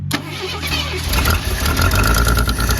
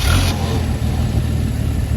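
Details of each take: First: Carbureted Mercury Zephyr Z7 GS Fox body after a carburetor rebuild; catches and idles roughly for several seconds, then sags and dies. Fuel filter looks empty: suspected fuel supply problem. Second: Mercury Zephyr Z7 GS Fox body after fuel pump work, fuel line left loose to check flow: deep even cranking churn with no misses or clatter; pump now delivering fuel.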